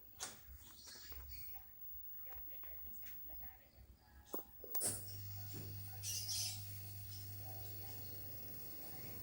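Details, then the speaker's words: Washing machine spin-dryer motor that had been spinning weakly, after its capacitor was replaced: a steady low hum comes in after the switch click and holds even without stalling, the spin motor running normally again. "Nah, tuh dah mulai berfungsi. Mulai berfungsi lagi."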